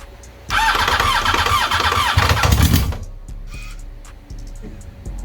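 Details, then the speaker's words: Yamaha R1 motorcycle engine catches and revs with a heavy, hollow knock underneath, then drops to a rough idle; spun bottom-end bearing, diagnosed before teardown. "i want i want now i want the game to hear what a motor sounds like when it's knocking"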